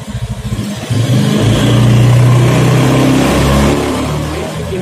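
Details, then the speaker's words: Honda Beat FI scooter lacking power, free revving: revs climb, sag briefly just before 4000 rpm then pick up, second drop above 9000 rpm; throttle position sensor suspected faulty, likely needs replacing. "Bisa saya ulangi lagi perhatikan di angka 4000 RPM turun sebentar baru naik lagi sebelum 4000 sudah turun sebentar"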